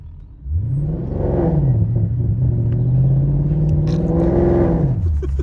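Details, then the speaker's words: Rebuilt wrecked Mercedes C63 trying to pull away in first gear: revs climb and hang at a steady droning pitch, then drop away. Fails to pull away under power; clutch or gearbox suspected, not confirmed. "Can the clutch go on these? That's the question. Well, something's broken, I can tell you that. It doesn't like reverse much."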